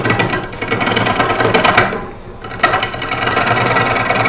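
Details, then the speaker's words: Wood lathe at about 400 rpm roughing a green cherry bowl blank: rapid rhythmic gouge chatter on high spots, pausing then resuming; out-of-round blank bounces the tool, intermittently cutting air. "notice he's bouncing around that's because the doing is called cutting here"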